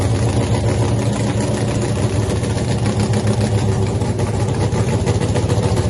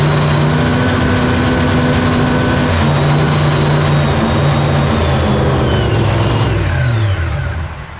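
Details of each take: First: Freaky Tiki Hemi Cuda funny car, first fire-up after a 3-year build, not yet on nitro, after an earlier ignition problem with the mags: loud, deep, choppy but steady idle without stumbling; firing cleanly. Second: Nitro Hemi Cuda funny car first fire-up on gas, mag switch on: fires and revs hard for several seconds, then the pitch sags and it coasts down and quits; crew suspects it ran out of fuel.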